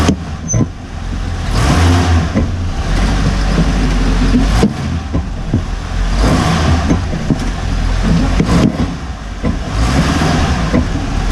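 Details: Hummer H3 driving: heavy irregular thuds every second or two over driving rumble from the front differential bushing, recently replaced; owner believes it was fitted incorrectly or is poor quality.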